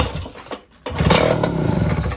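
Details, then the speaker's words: Mercury 2.2 hp outboard, which would not start, now with fresh gasoline and the carburetor checked, choked with a little throttle: after a short pause it catches at once and settles into a steady, even buzz; easy, normal start. "So, some fresh gas and a checkup. It's running again. That's great. And it's starting very easy now."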